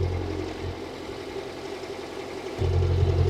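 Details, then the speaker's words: Daihatsu Atrai 7 (Hijet-based JDM mini-MPV), whose exhaust was reported faulty: a steady, low idle rumble that lifts slightly near the end, with only a slight rattle or tick. No puffing, so no exhaust leak is heard. "That doesn't sound like it's leaking at all."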